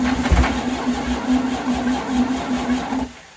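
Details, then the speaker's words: Detroit Diesel 92 series that sat 20 years, installed in a bus: steady cranking with even low pulses for three seconds, no catch; it acts starved of fuel despite pre-primed rails, with air in the fuel system suspected. "we did pre- Prime the entire fuel rails on the in the engine so the injectors and everything had fuel but it's not acting like it's not getting fuel"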